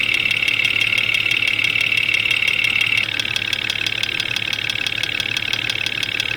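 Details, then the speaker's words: Jeep Cherokee XJ 4.0L inline-six, 175,000 miles, idling, heard through ChassisEAR channels at the injectors: sharp, even ticking about three per second, loudest at cylinder 5; knock cause not pinned down, suspected lean knock from dirty injectors or piston slap. "Number 5 cylinder is quite loud. We're going to pull the number 5 spark plug wire off to take the load off that cylinder and see if that has an impact on the noise."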